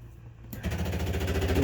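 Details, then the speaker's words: 2006 Rampage toy hauler bedroom slide-out won't extend after previously working. The motor spins up, then a steady buzzing ratchet of fast even clicks as it clutches. The slide never moves; the gearbox/motor was found bad. "the bedroom slide doesn't operate it just sounds like it's clutching"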